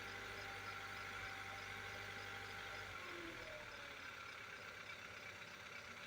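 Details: 2015 Kia Soul, 103,572 miles, near 1000 rpm idle after a rev to 1500: light quick ticking about 160 a minute, seeming from the left or rear of the engine; dealer called it normal, later found to be piston slap scoring the cylinder walls.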